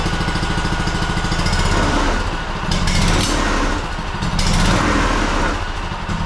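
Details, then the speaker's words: Honda two-cylinder engine that sat 10 years, repaired (stuck governor freed) and reassembled, final start: quick, even low thumping that settles into a steady idle with no knocks or misses. It fired right up. "well there you go fired right up sitting 10 years no big deal it's a honda"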